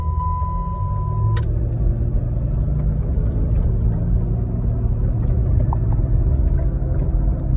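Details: 2007 Saturn Vue 3.5L FWD driving: steady low droning hum starting on moving, clearly heard from about 20 mph and rising with speed; silent on jack stands at 40-50 mph; CV shafts, intermediate shaft and hubs replaced; cause unknown.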